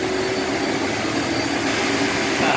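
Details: Vacuum extractor suction motor running after the forgotten drain hose outlet was closed to restore suction. An even, steady high whine with a constant airy rush and no surging or labouring; running normally.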